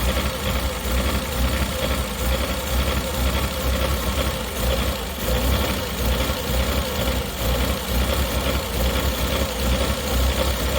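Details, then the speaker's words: Mazda Bongo van at idle without revving, with a lumpy, stumbling misfire and occasional dips as it tries to stall; cause not yet diagnosed. "There we go, you can hear the misfire right now without even revving it. It's trying to stall."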